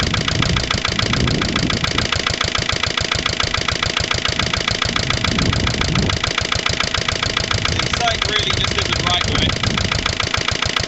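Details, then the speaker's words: Lister LD1 single-cylinder diesel on a chilly morning of about 5–6°, after a fuel filter change and bleeding: a slightly uneven, rough thump at about 214 beats a minute, and the injector sound isn't what it used to be. Owner suspects an air lock in the fuel lines. "so you can hear the ejector cre just isn't the same as it used to be"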